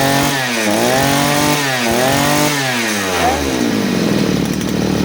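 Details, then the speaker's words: Side-mounted brush cutter, carburettor mixture screw returned to the nylon-line setting: crisp two-stroke revs rise and fall cleanly with the throttle, smooth steady pitch without stumbling; powerful, fuel-efficient, healthy. "Kembali lagi ke setelan menggunakan senar, mesinnya bertenaga dan irit BBM ya."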